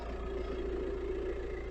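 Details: VW T5 Transporter diesel after replacing the faulty BCM with a secondhand unit: steady, even idle with a low smooth rumble, no misses, knocks or hunting; engine running normally, lights and indicators behaving.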